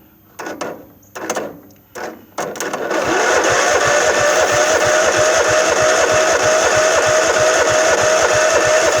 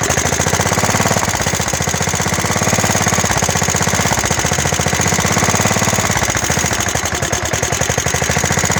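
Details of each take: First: Craftsman LT1000 mower with a 15–15.5 hp Kohler engine and hydro drive, sitting about five years, won't crank by key, so it is spun over directly. Even starter chugging at about three compressions a second with no firing: crank, no start, no spark. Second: Craftsman LT1000 mower, Kohler, hydro, sat about five years, cold start on carb cleaner: quick steady single-cylinder beat with rattly exhaust bark; running normally.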